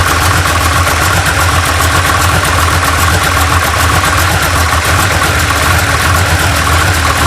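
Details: 1980 GMC Sierra C15 with junkyard L31 Vortec 350 (9.5:1), Summit K1107 .488/.510 lift cam, Performer RPM intake, 600 Holley, Flowtech headers, Thrush mufflers; cold start, loud lumpy uneven chop and loping beat with rev blips, mic clipping; lopey idle from big camshaft.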